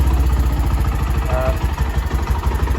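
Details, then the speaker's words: Honda Sonic 125 motorcycle with original engine, original carburettor and opened-up exhaust, electric start, starts easily: quiet, steady single-cylinder idle thumping at an even, unhurried pace with no misses or rattles; normal idle. "เขาเรียกว่าอะไรปกติครับดูนิ่งๆครับประมาณนี้รอบเดินเบาเครื่องยนต์ก็เป็นคาร์บูเดิม"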